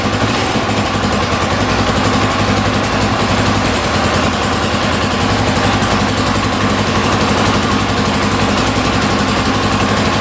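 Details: 1982 Honda XL500R single-cylinder, just started after carburetor cleaning, a little cold-blooded, throttle slightly adjusted: even steady idle, no knocks or misses, no smoke; healthy idle.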